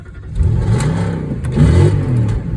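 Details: Audi A8 D2 V8 first start after replacing the fuel pump and fuel pump fuse (fuel issue fixed): catches and revs smoothly through a couple of blips, deep even rumble, no knocks or stumble; healthy.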